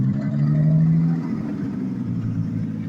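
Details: 1986 Jaguar XJ6 unstarted for two years, running after restart attempts: steady low rumble at a fast, slightly uneven beat, a little louder at first, then settling to an even run; normal running.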